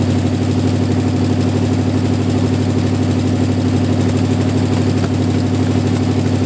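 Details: Jeep M715 army truck converted from fuel injection to carburetor, running after years unused: steady, even idle with low rumble, no knocks or misses, engine settling and running cleanly; normal idle.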